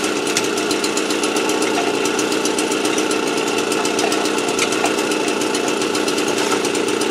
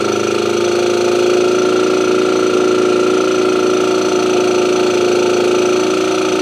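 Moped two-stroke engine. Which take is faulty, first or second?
second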